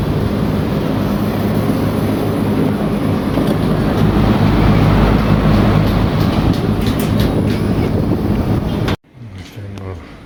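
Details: 420,000 BTU VRF system (2 outdoor, 15 indoor units) commissioning, error cleared at stage 10, test run with both fans on; steady even low hum and fan rush, no knocks, about nine seconds before cutting off; normal running.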